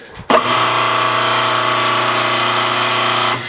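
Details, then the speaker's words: Grizzly G4003 lathe motor running with belts removed: steady hum with a harsh metallic rattle; cause was a loose motor pulley, set screw opposite the key; quiet once tightened. "that motor rattling away well guess what I pulled on the pulley ya loose"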